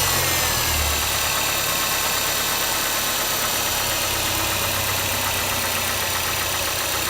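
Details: Mazda 6 MPS at idle: faint, uneven tapping at about three per second over a hissy background, knocking only up to 1500 rpm and quiet above. Engine knock at idle, cause unknown.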